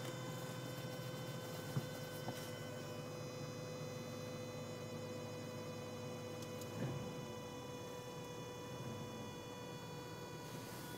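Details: 2003 Subaru Legacy at cold start: a steady, even whine with a buzzy hum over the idling petrol engine, with no clear knocking; the source is not identified.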